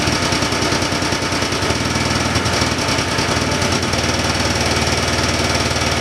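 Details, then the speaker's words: 1979 John Deere Cyclone 340 two-stroke snowmobile, revived after sitting, running on choke: loud, ragged burble with uneven, lumpy firing. Fuel pump works but little fuel drawn; owner suspects not enough fuel or a gummed carburettor idle circuit. "I was running it with the choke on there at the end so either it's not pulling enough fuel or the idle circuit and the carb is all"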